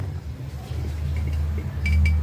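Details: LG washer-dryer after repair (welded and re-drilled drum spider mounts, new spider, bearing and seal), spinning: smooth, low, steady drum hum with no knocking or grinding, a quiet, healthy spin.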